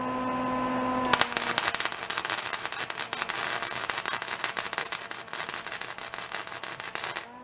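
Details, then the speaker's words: Old discarded Lincoln flux-core wire welder revived after long storage: harsh crackling arc with irregular pops and stutters as wire feed speed is set too high, excess wire pushing the gun off the metal. "and i can hear that that that was too much you could hear where it was pushing the wire off of again"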